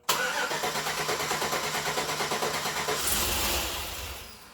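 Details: 2008 Chevrolet Suburban, first start-up of a newly installed engine: a clicking is heard while cranking, then it catches, runs roughly with an uneven pulse, and dies. Plug wire order is being checked; the cause is unconfirmed.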